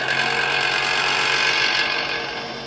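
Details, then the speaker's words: Vintage Eskimo 121050 12-inch box fan: steady motor hum with a fine fast rattle that fades as the fan slows; dry motor bearings, fixed simply by oiling. "This was really nothing more than just needing oiled."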